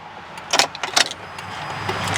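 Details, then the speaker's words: 2002 GMC Envoy (likely SLT) 4WD, high mileage, original engine, sat 1.5 years with a dead battery, now jump-started: key turn gives two or three dry clicks, no crank. Owner believes the aftermarket alarm (no key fob, siren disconnected) is clicking and blocking the start. "We got nothing. And I believe that clicking is the alarm. It has an aftermarket alarm, but I did not get the key fob for it."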